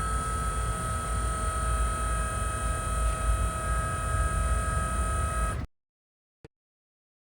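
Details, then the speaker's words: BMW E60 M5 SMG transmission, after removing the pressure accumulator and replacing the hydraulic fluid, bleeding via a scan-tool actuator block ventilation with the car on a charger. Steady electric pump hum with a fixed high whine, then cutoff; the pump is running normally. "So you can hear now that the actuator the actuator block ventilation is running right now. Takes about 15 minutes."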